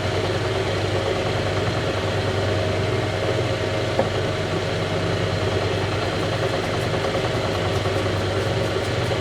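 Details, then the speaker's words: Vintage Lortone NS/8 lapidary arbor being tested after rehab: steady motor hum with a low pulsing rumble each turn from a bent drive belt; owner hopes the belt will reform with extended use and heat. "And it's not so rigid that it shouldn't, hopefully, upon some extended use, kind of retake its form and heat up a little bit and be just fine. But right now it's causing a lot of rumbling on the machine."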